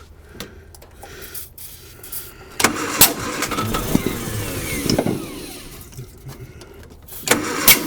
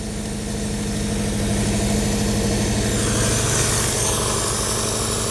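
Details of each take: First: 1955 Hudson Metropolitan barn find, dormant 28 years, new coil: ragged firing bursts sputter briefly then fade; runs a moment on starting spray then stalls from lack of fuel, timing judged about right. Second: 1955 Hudson Metropolitan barn find, first run after 28 years, new coil: steady, even idle with low hum, no misses or knocks; normal idle, carb not leaking, fuel pump suspected of only priming.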